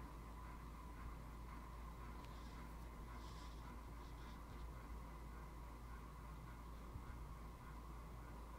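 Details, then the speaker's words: Hampton Bay Landmark III 42-inch ceiling fan, made June 2004, installed 2006, on medium speed, close-up: quiet steady hum with a faint constant electrical buzz underneath; motor buzz noticeable on medium, lessens on low, cause unknown. "am i hearing buzzing i don't know if you can hear her but i can hear buzzing let me get a close up you might have to turn on the volume to hear the buzzing"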